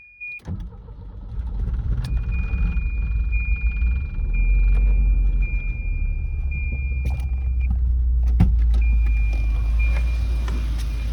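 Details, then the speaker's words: 1987 Volvo 740 Turbo wagon after replacing main fuel pump, fuel filter and cleaned injectors: fires after a short crank and holds a steady, even low idle with a faint chime; sounds healthy. "Looks good. Looks good, sounds good."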